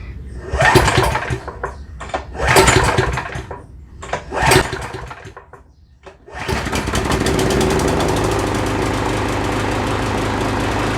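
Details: Husqvarna lawn mower whose blade hit something hard and stopped dead, with the blade refitted: three hard pulls with no catch, then it fires and settles into a steady, fairly even run; no obvious wobble or knock yet.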